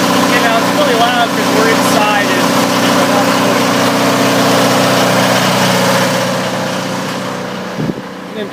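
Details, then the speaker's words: Onan DJB 6 kW diesel generator with new muffler, just after cold start: steady even diesel drone, no knocks or misses, engine louder than quiet exhaust; healthy running. "I mean you can hear the exhaust there's the exhaust pipe it's not really that loud out here I could actually hear the engine in the inside louder than me exhaust out here"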